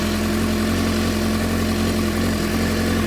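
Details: 2007 Suzuki GSX-R600 after CDI/ECU replacement, running after jumper cables disconnected, owner suspects failing stator: smooth even idle, steady low drone, no skips, ticks or hunting; normal idle.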